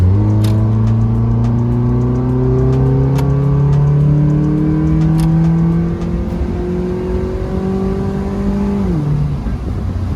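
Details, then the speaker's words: Mazda MX-5 Miata after an exhaust upgrade, accelerating from a stop through a turn with light throttle. Deep, Subaru-like growl rising smoothly with no rattles or misses; healthy exhaust note. "it almost sounds like a Subaru a little bit in the growl. But it sounds great. I actually like it."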